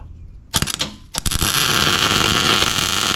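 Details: Welder repairing a broken brush hog for a Massey Ferguson 40, after power switched on at the welder: a couple of short strikes, then an even sizzling crackle held without sputtering; arc runs steady with enough power.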